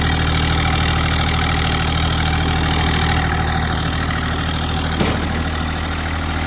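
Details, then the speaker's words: Kubota GR2110 mower diesel after a homemade RHB31 turbo install, driving under load; steady diesel thrum with a faint rising whistle as the turbo spools cleanly; works well, normal turbo spool. "I pretty much mowed all that down, but I will show a video of me just driving it. You can hear the turbo spooling. It works pretty good."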